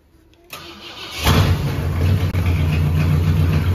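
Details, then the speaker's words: 1964 Ford Galaxie 390 FE V8 with C6, after 30 years in a junkyard, battery possibly weak: short crank, catches into a lumpy loud idle, runs only on poured-in fuel. Hard start; carburetor suspected blocked or not fueling. "you sound like it ain't getting any fire and it sounds like the battery is about dead even though that one's just on the charger"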